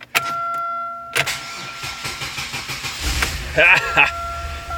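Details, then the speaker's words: 1999 Pontiac Grand Am: chime and clicks, then the engine cranks and catches after a few seconds once the starter solenoid is tapped; starter failing. "So, actually, my friends, that way you know your starter's bad too."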